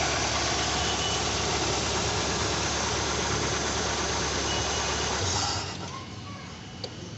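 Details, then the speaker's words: Engine idling evenly, then crankshaft position sensor unplugged as a test; engine dies within about a second and goes quiet, showing a loose or damaged crank sensor stops the engine running. "We notice that the engine has stopped working"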